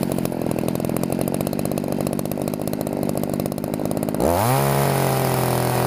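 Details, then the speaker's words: Chainsaw two-stroke carburetor tuning; high-speed screw set too rich at high throttle gives uneven burbling, breaking-up run, then clears to steady scream once adjusted. "at first it was too much and it kind of sounds it breaks up"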